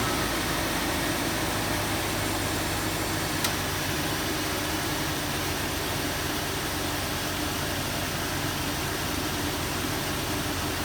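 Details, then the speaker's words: 2001 Jeep Cherokee XJ cold start about a week after adding Engine Restore for a cold-start tick, suspected lifter: steady even idle, knocks maybe once at startup then gone; about 72°F ambient. "you could hear it knock like maybe once right when it started up but it immediately goes away"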